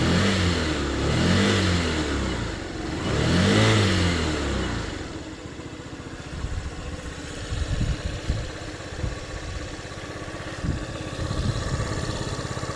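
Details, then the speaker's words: Yamaha Jog AY01 scooter (AF74E engine, as Honda Tact AF75/AF79) after valve clearance adjustment: two throttle blips then steady, even single-cylinder idle with no top-end ticking; runs smoother and quieter now. "The engine runs smoother and quieter now."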